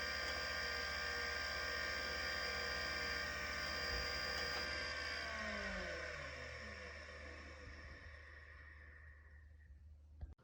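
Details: Vintage 1980s 5.25-inch hard drive, Miniscribe revived with a little oil on the stepper: steady high whine with fast even ticking near four per second, then smooth falling spin-down; drive passed its test and sounds healthy.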